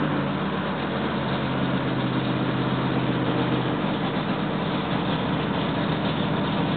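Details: Freshly rebuilt L88 427 Chevy V8 from a '66 Chevy II, hydraulic roller cam, aluminum heads, first start-up: steady even high idle with smooth low rumble, timing roughed in near 35°, no knocks or misses.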